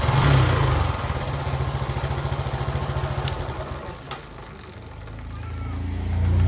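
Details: TVS XL100 BS6 moped, which had been slowing and stalling after about 1 km due to a dirty filter, now after the fix: quick steady single-cylinder putter that dips then picks up; normal running.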